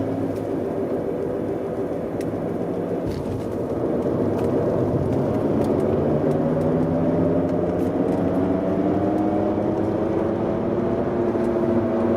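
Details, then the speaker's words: BMW E91 driving at about 50–60 km/h, recorded before rear differential, driveshaft and bearing replacement. Steady whine climbs in pitch with speed over road roar, unchanged with clutch in; earlier heard only from 90 km/h, worsening over time. Rear differential suspected. "Avant on l'entendait que à partir de 90 genre sur autoroute, et puis plus j'allais en vitesse, plus ça faisait du bruit. Voilà, là je suis à 60, on l'entend déjà."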